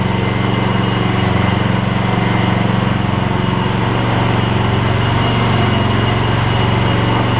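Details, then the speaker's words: Gravely 16 Professional walk-behind mower after sitting a while and a little carb adjustment: small single-cylinder thumps at even, steady beat, no misses or surging; runs like a top. "PTO should be great we're gonna put it out here say the PTO will work that thing runs like a top that's amazing just a little carb adjustment work"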